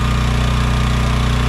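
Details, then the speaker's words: AGT Industrial H13R mini excavator, first start after sitting all winter in mud with battery left in; slight struggle starting on choke at about 3/4 throttle, now a steady, even low chug with no misses or knocks, idling to warm up normally. "Slight struggle in the beginning, but it worked. We're going to let the machine uh idle for a bit to warm up"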